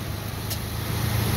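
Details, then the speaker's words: 2009 Ford Ranger FX4 4WD, 4.0 L 207 hp engine, automatic, 66,000 miles, idling under the hood as the AC compressor engages: steady low hum firming up under compressor load, no belt squeal, no valve taps; healthy normal idle. "AC's kicking in you can hear the compressor nice and quiet no belt squealing no funky noises no valve Taps it's a really really good engine is 4.0"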